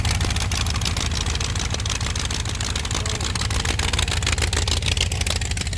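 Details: Supercharged, intercooled 512 big-block Chevy with Dart block and heads, roller lifters, Dominator EFI: loud, lumpy idle with a steady, even beat and no misses or knocks; running healthy.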